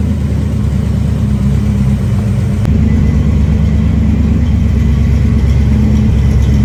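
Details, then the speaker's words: 1973 Dodge Dart Swinger on open headers after engine and transmission reinstall, timing not yet dialed in; deep loud rumble swelling sharply with a throttle blip, then a steady even lope; normal revving and idle. "Hey, we're back to having a runner."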